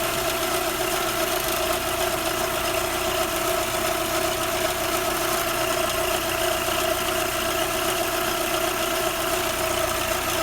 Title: Audi 80 PP Engine weird Noises...